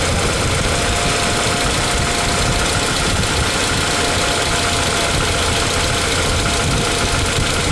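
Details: Ford Ranger pickup idling after an oil change and 10 minutes of running, with a loud busy clatter and fast even ticking over a steady idle; suspected noisy valvetrain, likely lifters or tappets, not confirmed.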